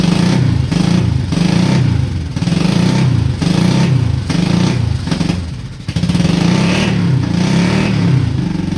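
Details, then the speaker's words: Honda Shadow V-twin motorcycle, about 20k miles on the same oil, parked 4 years, Seafoam in the oil: lumpy, loping idle with uneven pulses while charging; front cylinder not firing right, backfire seen, owner suspects sticking valves from no oil changes. "Well, she's idling and charging, so I can't really complain too much, but it does sound like it is not hitting on that front cylinder right."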